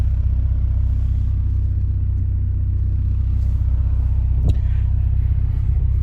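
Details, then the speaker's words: 2018 Ford Focus ST with CP-E stage 2 rear motor mount replacing a Mountune mount: idle with AC on, deep drone and low throb about four beats a second, shuddering harder as AC kicks in; slight vibration, overall not bad. "there's a little bit of vibration but i i got to be 100 honest"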